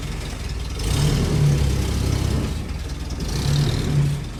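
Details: Willys Jeep petrol engine restarted after nearly 15 years unused: low, steady note with mild rises as throttle moves; settled, healthy idle.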